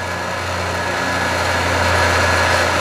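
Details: Scrap-saved single-phase air compressor motor, unloaded at its full 240 V design voltage, drawing about 2.2 A. Steady, clean hum with no grinding or surging.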